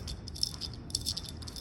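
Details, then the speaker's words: Bearing on top of the output shaft from a failed 6-speed gearbox, spun by hand: dry, gritty rattle with uneven clicks, rough with play, needs replacing; may have contributed to the failure. "doesn't sound good and it's got a bit of headache in it so that could have been um determining fact you know something that's uh aiding with the um failure"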